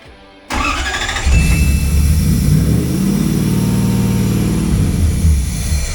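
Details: 1UZ V8-swapped 1989 Toyota pickup after wiring the Spitronics ECU and a removable starter trigger wire: short even crank, then the V8 catches cleanly and settles into a steady smooth run; starting system working properly.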